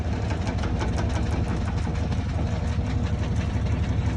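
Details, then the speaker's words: Washing machine running: steady deep rumble with repeated knocks, about three a second, from the drain hose whose original clip holding it to the rod broke; fixed with foam and re-securing it. "a mangueira é o pior vilão então sempre tem que manter ela com espuma alguma coisa aqui o a presília original quebrou ó ela vai presa nesse varão bem assim e quebrou ó"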